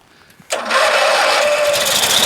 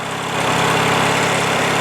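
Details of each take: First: Craftsman LT1000 lawn tractor with Briggs opposed-twin 19.5 hp engine, unused all winter, with bad gas and water in the tank. It catches only on sprayed carb/contact cleaner, runs rough about six seconds, then dies: fuel starvation. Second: Craftsman LT1000 lawn tractor, Briggs opposed-twin 19.5 HP, after a winter sitting with bad gas and water in the tank; tank drained, fuel filter changed, carb blown out: even steady putter at fast low idle, running normally.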